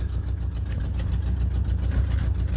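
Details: 1986 Mercury Grand Marquis Colony Park wagon V8 idling after first start: loud raw idle, sharp puffing each firing pulse, deep rumble; exhaust leak, left-side pipe from exhaust manifold to Y-pipe missing.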